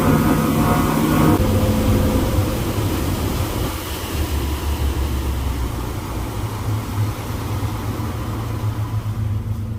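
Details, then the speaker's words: Twin Yamaha F350 V8 outboards on a Pursuit 345 Offshore pulling hard on a sea trial: a deep, even roar with a steady low drone and no knocks or misses; normal running under acceleration. "well it's definitely running good i love the sound of those v8s they sound good yamaha's always have a good distinct sound to them"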